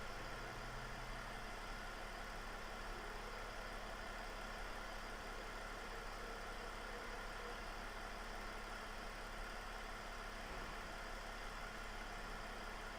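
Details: 2009 Mercedes E320 Bluetec diesel after boost-problem repairs, during a computer MAP and recirculation test: steady, even idle with no knocks, misses or hunting; the engine sounds healthy and settled.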